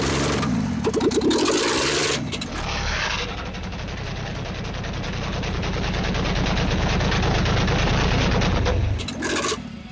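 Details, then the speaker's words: Ford XP Falcon engine, started after 35 years sitting, run with no exhaust manifold: loud pops and bangs then a rough open-pipe beat, backfiring because ignition timing is still slightly off while being adjusted, blowing out carbon; engine hot. "Oh, a bit of a backfire there. Woo, he's hot. Blowing out some of that carbon."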